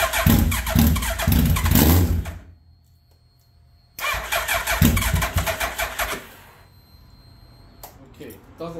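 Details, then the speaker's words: 2003 Suzuki Hayabusa, first start after repair (fresh oil, filter, coolant hoses): catches twice, runs ragged about two seconds each, then dies; owner suspects tip-over sensor, unconfirmed. "when it starts and stops like that that's usually the tip over sensor maybe I need to just whack it and reset"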